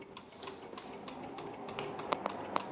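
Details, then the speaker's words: 1986 Honda Gold Wing GL1200 SE-I that sat for 9 years, with the key on: sharp light clicks at an uneven pace from a relay at the rear while rear lights flash; it won't start. "I hear it clicking. There's a relay in here somewhere. There's a relay clicking back here, but"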